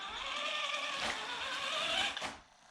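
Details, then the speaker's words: Small brushed RC motor on an ISDT ESC70 brushed ESC (prerelease unit, PWM changed 4 to 16 kHz) gives a loud, high tonal whine with drag brake at level 10. "can you hear this and super noisy it stops but it is super super noisy"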